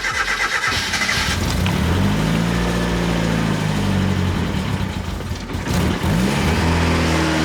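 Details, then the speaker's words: Turbo Miata, untuned, restarted: catches but runs rough and uneven with the revs wandering and dipping, and won't stay running because it still needs tuning. "Let's see if we can get it to start again. It won't stay on because it still needs to be tuned, but"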